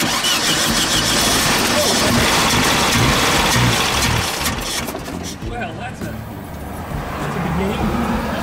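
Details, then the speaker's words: 1971 VW Type 3 Squareback 1600, oil light on, fuel squirted into the throttle body: the starter churns steadily at three-plus turns per second and the engine never catches. No fuel pump is heard; the cause is suspected, not confirmed. "thank you you know I don't hear a fuel pump kicking on anywhere I don't know what a Type 3 fuel pump even sounds like"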